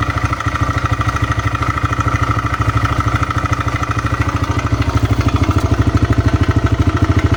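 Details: TVS Raider motorcycle: steady single-cylinder idle, about two and a half pulses a second, with a light clatter; abnormal engine noise, cause unclear.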